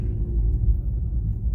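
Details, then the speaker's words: 2009 Ford Escape Hybrid on its first test drive after no-crank/no-start repairs: the engine, now running past electric mode, gives a low steady rumble under light throttle with no knocks or rattles; normal running. "everything sounds good like i said we got other checks we got to do continuing the drive"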